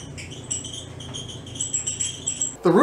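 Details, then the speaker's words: Clothes dryer squeaking for a few days: high pulsing squeal over low drum hum from the belt tensioner idler pulley's bad, dry bushing; tensioner assembly replaced once before, temporary fix planned. "the problem here is actually a tensioner idler pulley that has a bad bushing"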